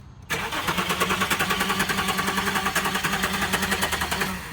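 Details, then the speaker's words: 2007 Infiniti FX35 at a police auction, jump box connected: starter spins the engine at a steady even rhythm for over four seconds but it never catches; cranks, no start. "And same thing. She's turning uh but not engaging to be able to start it up."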